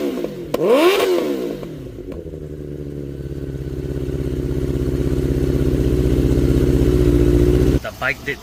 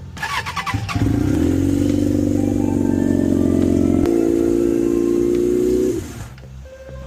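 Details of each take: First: 1992 Suzuki Katana 750F after wiring harness repair and new ignition coils: catches and settles into an even, steady run that builds slightly; no misfire, all four cylinders firing. Normal idle. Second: 1992 Suzuki Katana 750F after restoration work and a choke adjustment: thin, uneven idle note jumping in pitch midway; running on two cylinders, with cylinders two and three not firing.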